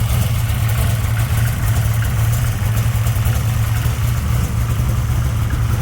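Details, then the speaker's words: 1964 Dodge Gasser V8 after fixing stroker rocker arms, lash set at a loose 17 thou cold, warmed to about 130°: deep, even idle rumble with little valvetrain rattle; runs healthy. "Well, as you heard, it's running again, so sounds good. Not a lot of rattle."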